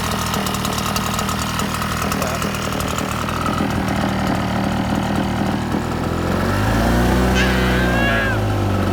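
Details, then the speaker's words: 2014 Red Max 8500 76cc two-stroke blower, formerly lost power and wouldn't take full throttle due to two missing intake bolts (air leak); starter squeaky, engine runs steady and even, picking up fuller and stronger near the end: normal running. "I'll fire it up right now. You'll hear it's pretty squeaky, but it runs good."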